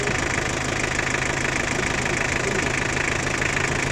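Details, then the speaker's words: Toyota 2L 2400 cc diesel at idle: sharp, fast, uneven knocking runs steadily over the engine note; both the injection pump and the nozzles are faulty, and diesel is not returning properly. "ये Toyota 2L है 2400 cc। ठीक है, इसका pump nozzle दोनों का मसला है।"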